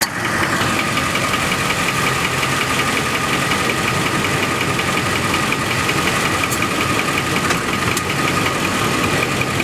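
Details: 2004 Ford F150 4x4 turning sharply on dry pavement: continuous harsh grinding and scraping with a faint whine, worsening if driven on, from a front differential the shop left without oil.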